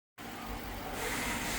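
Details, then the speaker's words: V8 police car engine idling smoothly and evenly after repair and steam cleaning, no more ticking, only a steady hiss: nice, quiet cop car. "Nice, quiet cop car."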